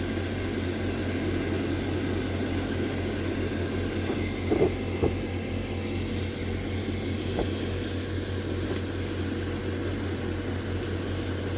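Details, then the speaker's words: Homemade Kwiky oil burner with brass pipe, compressed air feed, misting slightly: steady roar broken by sharp pops and stutters every couple of seconds, sputtering with no change in fire; owner wonders if an air bubble got in. "yeah it sounds promising but really no change in the fire you're gonna have a sputtering does an air bubble got in there"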